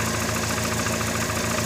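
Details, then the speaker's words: VW Gol with CHT engine at idle, valves already adjusted: steady light ticking several times per second over even engine hum, traced to play in the clutch release shaft at its support, not the valves. "Então galera o eixo aqui da embreagem ó tá com uma folga aqui ó ó tá batendo"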